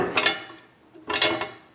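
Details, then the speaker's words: Used eBay turbocharger turned by hand on the bench: two short bursts of harsh, tinny scraping from the cracked, bent compressor wheel blades rubbing the housing; turbo was oily and roasted. "yeah I think you can see a cracked fan right there like the the lower left oh yeah yeah yeah right turn it around oh yeah it's also not what it's supposed to sound"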